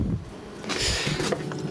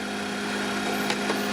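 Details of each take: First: Evakool 12 V compressor fridge: compressor hums steadily with a watery gurgle; system leaking refrigerant and not holding pressure, won't cool, compressor to be salvaged. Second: Danfoss-type 12-volt compressor salvaged from an Evakool fridge freezer and recharged with about 40 grams of refrigerant. A steady, even, low hum at a constant pitch with no knocks or rattles; it runs smoothly and cycles off properly.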